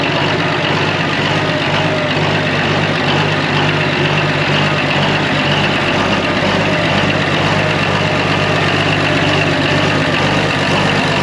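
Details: Old excavator abandoned for years, just started on two new batteries: steady, even diesel idle with a deep low rumble and no knocks or misses; normal idle.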